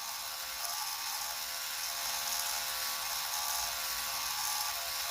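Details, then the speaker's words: Traxxas TRX4m Bronco/Defender RC crawler with the rear axle flexed forward by hand while running: steady high motor and gear whir with driveline strain. The flexible rear axle binds; held straight, it runs smoother. "now both gonna be weird but that really binds it up but yeah those are flexible axles and it binds so when you hold it straighter out everyone's a lot smoother"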